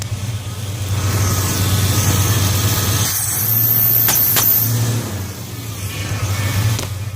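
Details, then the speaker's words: 1979 Ford F150 460 V8 with new coil, pickup coil, ignition module and carburetor revving: deep rumble broken by sharp pops back through the carb, puffing smoke, pop felt through the pedal. "the only issue is when I rivet and make this popping noise I don't know if you could hear that"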